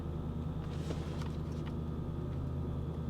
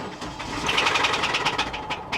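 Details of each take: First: Salvage car at auction, idling after start with TPMS, check engine and ABS warning lights on; quiet, smooth, even low rumble with no knocks or misses, runs great, normal idle. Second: Jaguar XK salvage car at an auction yard, started from the driver's seat: engine catches and runs briefly with a light, quick tapping riding high over it; source can't be placed, joked to be rod bearings, unconfirmed.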